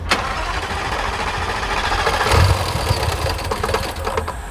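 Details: 140,000-mile Jaguar XFR supercharged V8, modified for more power, after suddenly stopping while driving: rough, uneven cranking with heavy low chug that never catches cleanly; specialist later found a jumped timing chain.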